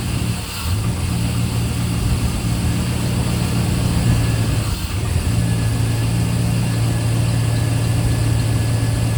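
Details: Work truck after roadside breakdown repair, top cover off, checking for leaks before oil and fluid change: low steady hum holding an even note, no knocks or misses; smooth healthy idle.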